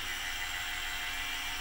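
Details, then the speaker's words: PM-25MV milling machine with spindle bushing fitted snug, spindle at about 1200 rpm: even, soft whir with no knock, rattle or play. "in fact if I turn the spindle on its fired up the spindle sounds great"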